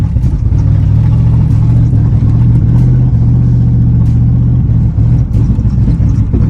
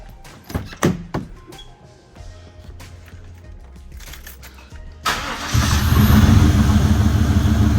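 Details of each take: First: 1995 Chevy Impala SS driving at night just after the engine was washed: the drone stumbles, sags and briefly cuts out. Misfire from water in the Opti-Spark distributor; it idles fine but acts up at operating temperature. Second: 1995 Chevy Impala SS, after Opti-Spark work with spark plugs and wires back in, water pump still off: brief crank, quick catch, then a steady, even idle with no misses. Normal start and idle; the owner hopes the hesitation is fixed.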